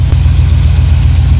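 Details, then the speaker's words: 1993 GMC C1500 with SBC 350 and TH350, freshly fitted camshaft, idling: light, quick ticking comes and goes over a steady idle. It quieted after a few minutes' running, then returned. A failing lifter is suspected; a return line was blocked off. "well now the noise is coming back as soon as i play that and that goes away and it comes back it goes away you must have a lifter failing or something"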